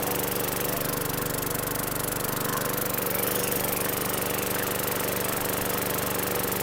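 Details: 2012 Weed Eater push mower, 550E series 140cc engine, suspected hurricane flood victim, after priming and starting: steady even buzz with no misses, surging or knocks; normal running.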